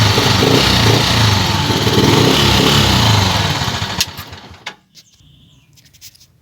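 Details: Small single-cylinder motorcycle after repair for a whining pinion: pinion replaced, exhaust and bolts refitted. Even, steady putter with no whine or rumble before shutoff; now running normally.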